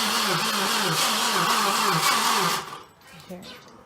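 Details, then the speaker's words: 2012 Ford Focus SE first start attempt after head gasket job and timing: a harsh electronic-sounding buzz pulsing about two and a half times a second, then cutting out; source unclear. "It sounds like it's electronic. Zit, zit. It does, right?"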